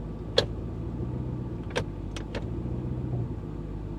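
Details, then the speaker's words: Dodge Charger Hellcat on a drive: four sharp clunks over about two seconds from underneath the rear; noise started only recently, and the mechanic and owner suspect a worn rear bushing. "So, that was the the rear bushing, I'm pretty sure. And that sounds like it's underneath."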